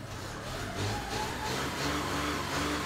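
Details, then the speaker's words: 2012 VW Polo TDI diesel that started then stalled after two seconds, with fault codes P261A00, P023800, P010400, after exhaust gas robbing theory addressed: quiet idle with soft steady pulse about three per second, no stumbling. "does it start idle all right oh oh it's looking rather good right there"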